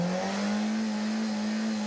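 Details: 2010 FAW V2 after spark plug replacement for a P0300/P0302/P0304 misfire: the engine revs up smoothly to a steady, even drone with no stumble. It now runs clean on all cylinders, though weak piston rings are suspected.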